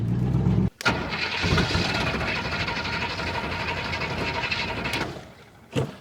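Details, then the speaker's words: 1969 Buick Wildcat 430 big-block V8, sat 21 years: catches, then runs rough and lumpy and stumbles at even slight wide-open throttle before cutting out; carburetor blamed at first, the old gas tank turned out to be the cause. "it does not like wide open even slightly oh [Applause] uhoh look at that yeah they not help I [Music]"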